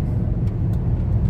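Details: VW Touareg V10 5.0 biturbo diesel driving after repair of a turbo intake pressure-loss fault (codes P2279/P0299, limp mode, black smoke): deep, smooth, even rumble pulling steadily with no knocks, whistles or misses; normal running.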